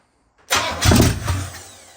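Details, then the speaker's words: Oldsmobile 400 G big-block V8 with a Quadrajet, sitting a couple of years, first start after fixing a fuel leak at the filter housing; no coolant, so a short run. Fires first turn with a bark, then a steady, even rumble, no smoke: normal start-up. "I guess it runs good. But no coolant, we can't run it long. There you have it. It runs great. No smoke, no nothing."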